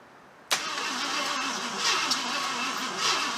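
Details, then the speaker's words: Barn-find 1975 AMC Matador Oleg Cassini, not run in 30+ years, weak battery; second attempt after it briefly fired. The starter grinds with a slow wavering rhythm and the engine tries to fire but doesn't catch yet. It starts on a later try. "on baby you want it you want it i can hear you trying i can hear you trying"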